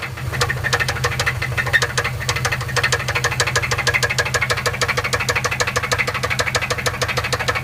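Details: Subaru Forester SF5 engine knock at idle: sharp, steady knock about two per second over the idle, internal engine knock, cause unknown; owner asks whether the engine is dead.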